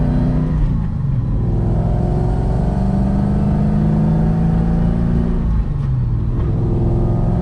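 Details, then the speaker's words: 2003 Mustang Mach 1 test drive after Moser Engineering rear axle repair for vibration and rear-end noise: smooth steady drive, even engine and tyre rumble rising with speed, no whoop or rhythmic rear noise. "And just like that, we are back. Nice little successful drive."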